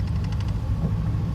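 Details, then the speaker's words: 2002 Toyota Tacoma idling at a red light, vibrating, with a deep uneven stumbling sputter and flashing check engine light; code P0304, cylinder 4 misfire from a bad coil pack. "Sounds like it's sputtering a lot. Now watch the check engine light. Notice how it's flashing. That means there's a severe check engine light."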